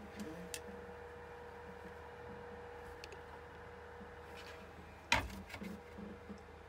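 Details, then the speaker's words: Trotec dehumidifier after disassembly, cleaning and repair for loud noise: only soft steady fan hum with faint even tone, slight echo; running normally, quieter than when new. "okay can you even hear this god it's so it's so silent okay it's slightly maybe a little bit echoing but jesus it was never that silent not even when it was new"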